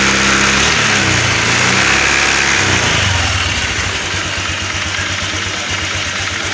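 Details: Honda Vario 125 scooter: hissing, snoring buzz over the revs from loose radiator cap cover (and air filter area) vibrating on throttle, then quick even idle; fix with double-sided tape and two round rings or old tyre rubber. Loose radiator cover rattle.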